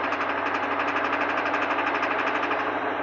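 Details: Truck engine at about 1600 rpm under load with a fast, regular knock of about four beats a second; recently started, persists after adding Lucas oil treatment and 93 octane, owner suspects lifters, cause not confirmed.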